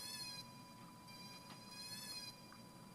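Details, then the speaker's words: Astable 555 timer driving a passive buzzer and flashing LEDs with a light-dependent resistor, after removing the 10 µF smoothing capacitor and accidentally touching its lead to the LED: high warbling chirps sweeping every 1.5 s over a steady whistle; erratic oscillation from shorted capacitor lead. "that's really weird noise hope you can hear that um I don't know why I got that maybe this capacitor oh I accidentally stuck it that lead to the LED"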